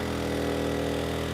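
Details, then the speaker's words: Erayak 4500PD dual-fuel inverter generator running on propane at 3,200 W, just over its propane rating: a firm, steady drone with an even beat and no hunting or misses; it handles the load without issue. "And yeah, it's doing it without issue."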